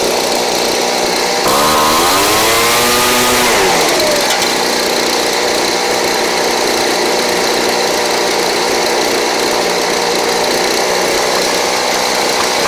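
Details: Craftsman 29cc two-stroke blower, received missing its spark plug and with no gas, now fitted with a Chinese aftermarket plug from a carburetor kit; revs up with a rising buzz then holds a steady even drone, no stumble or surge, running properly.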